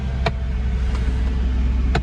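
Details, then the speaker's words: Clicking noise at idle from the V6 of a 20-year-old Mercedes CLK with 35,000 miles, just after a cold start in snow; a few sharp, irregular clicks about a second apart over a steady idle; source not yet known. "yeah it's a clicking noise"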